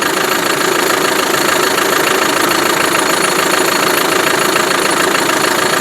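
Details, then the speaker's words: Land Rover Defender 110 300Tdi diesel from Ghana, after start: even steady diesel clatter at idle, no misses or odd knocks, snappy when revved, a bit smoky (possibly blocked separator); normal diesel idle. "TDI snap to it when you rev it up. Not too bad."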